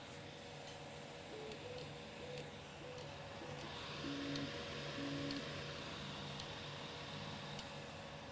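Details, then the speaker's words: Anycubic Vyper 3D printer on its first print: faint light ticks about twice a second over the steady motor hum. A bearing that is too tight is suspected, not confirmed. "sounds like the like a bearing click or something and that's ah really annoying"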